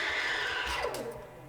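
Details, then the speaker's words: Gaggia Classic Pro steam wand frothing milk as boiler runs out of steam: strong hiss with thin whistle fades and drops in pitch into weak sputtering; low steam pressure, milk stops spinning, poor microfoam. "there we go and now i start losing pressure so you can see the milk is not spinning as it used to before and you can hear this weird sound"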